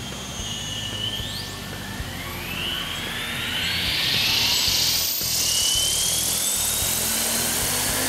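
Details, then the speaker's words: Goblin 500 electric RC helicopter in normal mode at half stick, which should give 75% headspeed: whine climbs and keeps rising past that. Idle-up modes show no change; cause unknown. "when I take it to half stick I should be at 75 but I noticed that the helicopter was really winding up it sounded like it was more than 75 percent"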